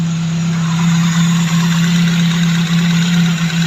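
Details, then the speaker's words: Tavria carburetted engine that stalled while driving, after replacing the ignition commutator and checking the carburettor, Hall sensor working: smooth steady idle without dips or stumbles; normal idle, fault attributed to old commutator. "тобто є положення що проблема була саме в комутаторі тому що як тільки я його замінив оцей зняв старий ось оце доробло отаке поставив ось цей і все у нас запрацювало"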